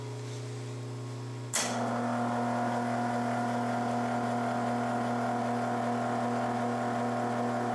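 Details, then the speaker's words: Yates American J180 motor on first run after motor bell repair and with the motor controller installed, fed by a rotary phase converter: a low hum with no spin-up, then a sudden kick into steady whine; hard starting, seemingly on one or two phases, cause unknown. "I'm trying to get the motor to run sounds like it's running on just one or two phases"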